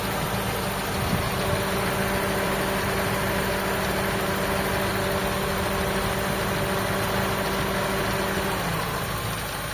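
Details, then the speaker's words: Toyota GLi 4A-FE engine idling after repair, once the radiator fan is back on automatic: smooth, even idle with a steady fan hum that cuts out as the fan stops; engine now okay; normal idle. "Sa makina okay na rin tayo."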